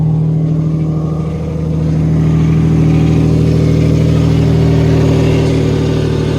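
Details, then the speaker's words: Nissan VQ37VHR with newly installed Soho Motorsports top-mount single turbo kit, first start after programming, in neutral: catches straight away, then settles into an even, steady run with smooth revving, no knocks or misses. "That joint just started right up. Hell yeah."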